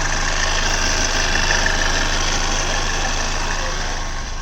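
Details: Hyundai Verna diesel idling: light regular rattle about three or four a second over the clatter, appearing suddenly and intermittently after start, linked to turning steering to full lock; noise traced to worn belt tensioner.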